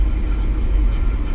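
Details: Truck on a total cold start after distributor replacement, no cat, knock count 27 with new knock sensor: low, lumpy idle rising and falling unevenly with shaking; misfire and slight hunting idle, cause unknown.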